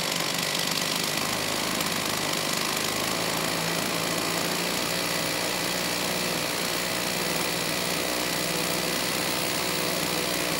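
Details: STIHL 028 AV Super chainsaw, amateur rebuild with non-OEM parts after straight-gas engine burnup; high idle, choke off, raspy buzz won't settle cleanly, poor response coming off idle, a bit lean at high speed; air leak into crankcase.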